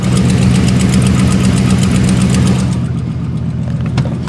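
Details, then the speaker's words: 2013 Dodge Ram, 3-inch lift, big tires, aftermarket exhaust, cold start after sitting a few days; quick light tick about three to four per second over the rumble, the familiar Dodge tick; engine ticking at idle. "you can hear it and of course it wouldn't be a Dodge if you didn't have the infamous tick it's got the nice Infamous uh Dodge tick"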